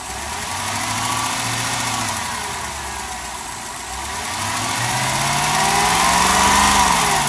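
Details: 2006 Lexus LS430 V8 after 90k service with timing belt change: steady light ticking at idle that quickens with throttle, recorded from relay box in front of battery; dealer blamed loud injector, but replacing it didn't fix it.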